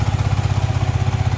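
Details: Yamaha MT-15 after replacing the faulty ignition (ST) coil: fast even pulsing at raised pitch, steady without dips, idle around 2000 rpm which needs lowering; high idle speed.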